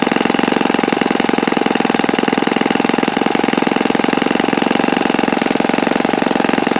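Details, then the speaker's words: Repaired OS FS-48 Surpass four-stroke (repaired blown-out crankcase) on test stand, bearing and peak-RPM check: fast, even buzz held at high revs, no rattle or grinding, bearings sound fine; mixture richened after knocking heard. Normal high-speed run. "Okay, so maybe I didn't have it tuned properly the last time I ran this, because it seems to turn quite considerable RPM now."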